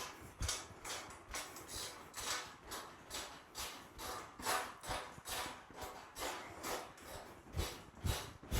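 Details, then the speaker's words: Brand-new trifold Cellerciser rebounder just after its springs were oiled with 3-in-1 oil. A short spring squeak and creak on each landing, about two a second, fading as the oil works in. Dry spring squeak. "So, as you can hear, it's starting to get more and more faint. So, as the oil works into the springs, and the more you use it, see how it's becoming quieter?"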